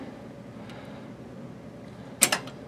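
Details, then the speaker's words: Water pump pressure switch, manual lever reset after low-pressure cutoff: sharp double click as contacts close, completing the circuit so the pump kicks in at 30 psi, set to cut out at 50; normal switch engagement. "And there, the pump is on, and it is pumping up. Look at that, beautifully. Right? You can see the connection points are contacted on this side, contacted on that side. It completes the circuit, sends the electricity to the pump, and the pump kicked in at 30, and this should go to 50."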